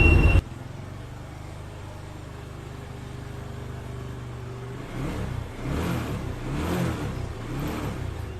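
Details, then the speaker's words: TVS Apache RTR 2V motorcycle after engine repair for a bad internal engine noise: even idle then clean throttle blips, no knock or gear rattle; gears checked and fine, running normally. "গাড়িটা আবারও ইঞ্জিনটি সম্পূর্ণ ঠিক হয়ে গিয়েছে। আশা করা যায় বাইকে আর কোনো সমস্যা নেই, বাইকটি আবারও সুন্দর চলবে।"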